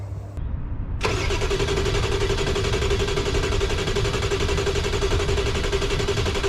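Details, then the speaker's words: 1995 Ford F-350 7.3 Powerstroke diesel, freezing cold: starter cranks the engine evenly at about four beats a second for several seconds but it never fires; crank no start, owner suspects the IPR valve; IPR and CPS sensor replaced, still no start. "on so crank no start might be IPR valve"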